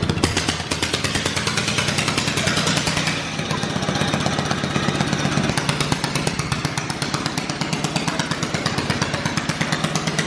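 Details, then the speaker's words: Loud, rough, uneven beat from a dirt bike engine in a drift trike, running through an open straight pipe, with sharp irregular pops that sound like backfiring. "dude it sounds like it's backfiring it is"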